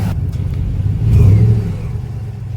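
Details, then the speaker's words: RAM 1500 5.7 L Hemi petrol after replacing cracked factory exhaust manifolds with aftermarket: deep V8 rumble swells with a throttle blip and settles, no ticking at startup or revs; normal revving. "And uh you'll hear very clearly that the tick has completely gone. Listen to that. Love the sound of the V8 in the morning."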